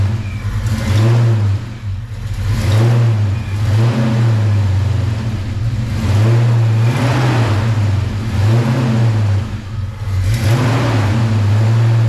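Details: V8 revving through repeated blips after fixing valvetrain noise: fresh oil change after cam/lifter work, engine warmed up though not fully tuned; deep even rumble with no ticking, valvetrain noise gone, sounds healthy.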